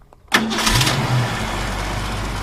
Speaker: You know, it actually fires up pretty nice. Obviously, it's already warm, but even when it's cold, it starts up nice.